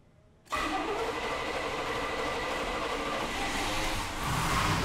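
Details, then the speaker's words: 1980 GMC C3500 crew cab dually, 21,445 miles, stored since 1997, engine pulled after sticky valves and backfire, heads rebuilt: steady, even V8 idle, smooth unbroken drone with no ticks or misses; runs healthy. "So as you can see, it runs smooth and it runs excellent, and it should."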